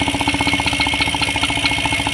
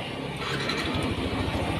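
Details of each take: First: Yamaha NMAX 155 scooter idling with fan belt and rear pulley removed: fast sharp ticking knock in time with the engine persists, pointing to the engine; traced to a worn camshaft bearing. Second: Yamaha NMAX 155 after replacing a stiff small bearing (cam/noken-as area) that caused a clacking noise: steady, smooth idle with even low pulses and no tapping or knocking; normal.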